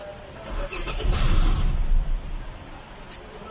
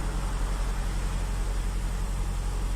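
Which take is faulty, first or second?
first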